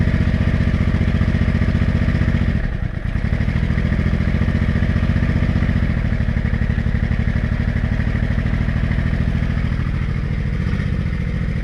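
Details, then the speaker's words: Honda Shadow 500 V-twin after broken and loose bolts were found and fixed, started with a broken choke cable and warming up. Steady, even low thumping idle with the earlier clunk and rattle gone; it runs smoothly. "there we go oh my god the clunk is gone it sounds amazing oh I'm glad that's all it was"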